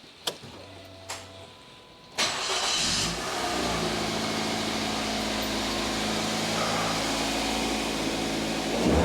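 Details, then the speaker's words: 2010 Mazda 2 1.5 petrol after spark plug change: cranks and catches quickly, brief rev, then even idle with no misfire. "That all sounds good to me."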